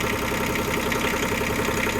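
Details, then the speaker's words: Small diesel micro digger running after a flat battery was jumped and the jump leads removed, alternator confirmed charging: a steady, even idle clatter with no stumble or hunting, a healthy idle. "I've taken the jump leads off it, now it's running."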